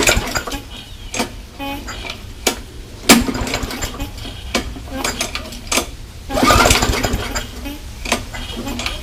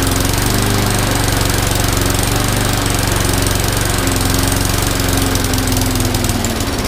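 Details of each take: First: MTD mower with a Briggs & Stratton Classic engine thought to have no compression, primed with fuel in the tank: several pull-cord rattles, then a low steady putter settles in; it starts and keeps running; normal start. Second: MTD mower with Briggs & Stratton Classic engine that had no compression, running after valve seat work: loud, uneven, ragged single-cylinder thumping; rough running, owner suspects a carburetor problem; smoking from an oil-filled crankcase.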